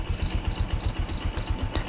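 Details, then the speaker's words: Yamaha Jupiter MX New after carburetor service and setting, restarted to check whether idle stalls; idle settles into even pulses about eight per second with no misses or stumbling. Normal idle, no stalling. "oke Coba kita hidupkan lagi apakah stasionernya juga mati-mati atau tidak"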